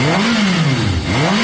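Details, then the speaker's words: Yamaha XJ550 after carb cleaning, warming up: engine climbs and falls smoothly through repeated blips, crisp and even with no misses; slightly smoky as carb cleaner burns off. Normal strong revving. "It's revving very strong. Woo! Touch smoky, guys, but remember I've just put cleaner through the carb, so that's going to be working its way out."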